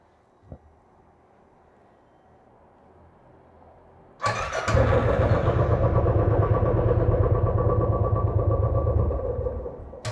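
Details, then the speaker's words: Royal Enfield Classic 500cc single before repair: starts, thumps unevenly about six seconds, then dies when throttle is touched; missing and stalling blamed on incorrect sensor position. "जैसी में 1 litre को पर हाथ रखो गाड़ी बिल्कुल बंद हो जाती है"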